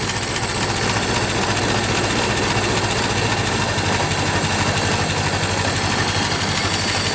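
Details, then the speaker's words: Ford Model T four-cylinder after cold start, full spark and throttle at idle: steady, even low chuff about three beats a second, no misses, stumbles or stalling; idling smoothly. "now that's um fully spark and the throttle's idle and it should be able to run smoothly without stalling which as you can see it's um it's running just fine"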